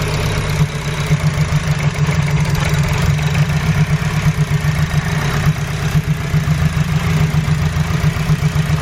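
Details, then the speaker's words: Honda Civic EG idling with number one injector unplugged: lumpy uneven idle, low thump like a cylinder not firing, no change in engine note, so owner suspects injector number one not working. "so I'd say injecting number ones not working try again no change in the engine"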